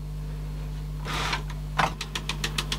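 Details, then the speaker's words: 1980s Teac CX210 cassette deck during belt service: light even ticking about seven times a second over faint motor hum only with tape loaded; source unknown, possibly the tape. "oh something's making a noise didn't do that without a taping they did it"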